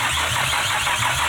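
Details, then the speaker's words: Nissan Skyline R33 being brought back to life: steady starter churn with a low, even pulse about four times a second, never catching; fuel can be smelled, and coil packs are suspected, not confirmed. "that's close though it's so [ __ ] it wants to go dude it's going to be the coil packs then"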